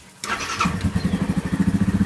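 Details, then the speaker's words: Yamaha Grizzly 550 ATV, about 20 hours and 100 miles, long sitting: after spark plug replacement it cranks quickly, catches at once and settles into an even single-cylinder thump; previously died in park and barely cranked. Starts and runs fine. "That does seem to be significantly better than what was going on. So, it appears that the spark plug was a big problem."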